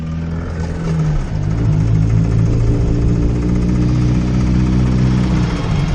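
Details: Freshly built racecar engine, no tune, after 600 miles: uneven revving with a dull repeated knock under the exhaust note, about four per second; rod knock, still drivable home.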